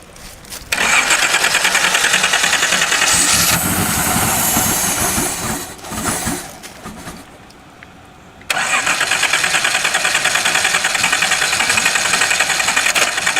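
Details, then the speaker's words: Donor 1977/78 Datsun 280Z engine test-run without its fuel-injection wiring, fuel sucked in through vacuum from tank of old two-stroke gas after an ether shot; cranks, catches, runs raggedly, sags nearly to stall then recovers; rough running. "here it don't sound great run off the tank but it does run"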